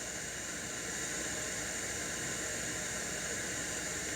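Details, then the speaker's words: Crate CA series acoustic amp, gain at 0 and master volume at 3 o'clock; raising reverb return toward max brings a steady loud hiss across the highs with no tone or rhythm, the "white noise", aging DSP reverb chip suspected. "And you can see that, or hear, that reverb return has the white noise syndrome."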